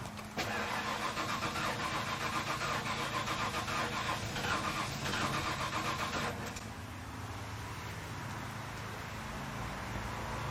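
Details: 1997 Ford F-250 gasoline V8, sat a decade, fuel pressure gauge on the rail and noid light on the driver-side front injector: six seconds of fast even cranking without firing; pressure reaches spec but bleeds down, probably one injector.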